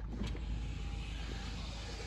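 A steady, even low motor hum with a light whirr runs smoothly throughout; the power window is working normally.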